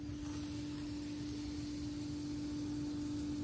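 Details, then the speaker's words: 2004-09 second-gen Prius inverter coolant pump, new Aisin replacing OEM, running after the power button is pushed twice without the brake, reservoir cap off: soft, perfectly steady electric whir with no rattle, grind or pulsing, which is normal. "That makes this pump start to start to flow. So, this noise is what a brand new as pump sounds like."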